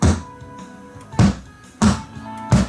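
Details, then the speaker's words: Luxkit A3400 amateur-built preamp: four heavy thumps about every 0.6 seconds as the tone button is pressed; the loud pop came from a shorted, badly soldered tone switch carrying voltage. "this particular one listen what happens when you press the tone button"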